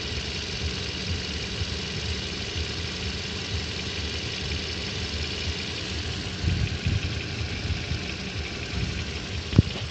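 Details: 2014 Toyota at 40,000 km idling with a faint, even ticking knock at engine speed; the dealer said this is normal, and the owner doubts it, so the cause is unconfirmed.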